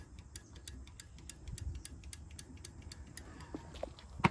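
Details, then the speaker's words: 1974/75 Yamaha Enduro 250 barn find that sat 27 years. The horn gives faint, regular clicking but no tone; it is unclear whether the horn itself is still fitted. "All right, well, the old horn. I can hear it clicking. I don't know if the horn's if the horn's still on there, but you can hear."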